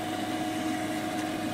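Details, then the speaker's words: Replacement regular ATX power supply in digital picture frame computer, fan on the back: steady even air rush with constant mid-pitched hum, no ticking or rubbing; fan spinning freely, healthy. "Post sounds more of a jet engine now but there is certainly air flow there maybe the camera will hear it that is [ __ ] awesome because there's actually air flow now instead of not"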